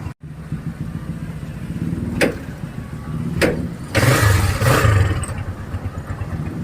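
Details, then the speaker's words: Engine soaked by rain after a hard-starting fix, started without drying: catches straight away, settles to steady idle with a few clean throttle blips; normal start and revving. "Ito basang-basa sa ulan. Tingnan natin kung magi-start. Ayan oh."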